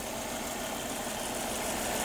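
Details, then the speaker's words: Volvo sports car with about 200,000 miles, revived after sitting, running after five new coil packs and OEM spark plugs: quiet, smooth, even idle with a soft steady hum and no ticks or knocks. Engine sounds healthy. "I mean you know for 200,000 Mi I think it sounds good dude that's that's not bad at all hell yeah woo"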